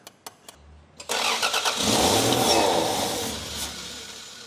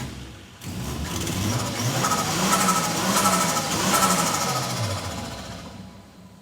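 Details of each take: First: 1989 Toyota Supra MA70 Mk3 with a 7M-GTE, on its first start after 6+ years sitting: a few clicks, then a rough burst that fades instead of idling; suspected no fuel pressure, only burning residual fuel, with TPS and airflow meter also questioned. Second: 1989 Toyota Supra MA70 with a 7M-GTE turbo, revived after 6+ years sitting: catches, revs cleanly and settles back smoothly with no misses; compression test planned.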